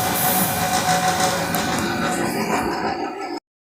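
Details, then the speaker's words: 18,000 BTU split air conditioner condenser working forced without heat exchange or circulation: loud, harsh roar with uneven metal-on-metal clatter about three knocks a second, compressor banging on failed mounts (coxins). "o que aconteceu o o o coxin aqui do compressor já era aí tá batendo aqui ferro com ferro bicho é uma zoada tremenda"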